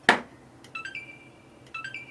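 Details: Xbox One S that powers on for a split second then straight back off, with no white button light: a dull click, then two short rising chirps about a second apart and no fan spin-up; cause unconfirmed.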